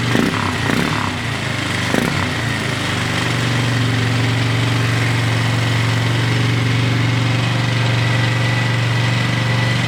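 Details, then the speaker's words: Rebuilt single-cylinder engine after the rebuild, still backfiring a little, thumps steadily but idles fast and won't drop even with the idle screw turned down; the auxiliary tank rests on the throttle cable, binding it open. "I'm also going to turn the idle screw over here a little bit turn it off still idling really high I think the throttle cable might be"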